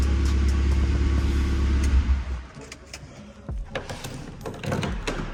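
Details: Skoda Fabia 1.2, high mileage, slight misfire awaiting coil packs, just fitted with a new exhaust back box and bracket: deep, even drone at fast cold idle, then settles quieter with no puffing or ticking; normal cold start, no exhaust leaks.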